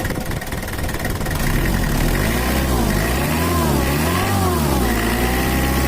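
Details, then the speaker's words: Mitsubishi Kuda diesel (4D56) after repair; complaint was rough, limping idle, low power and an oil leak; reset to standard: the idle smooths out and blips up and down a few times with no shake or misses left. Normal idle. "oke udah normal ya Rul untuk mesinnya sudah standart lagi dari suaranya bisa enak udah enak didengar dan juga mantaplah"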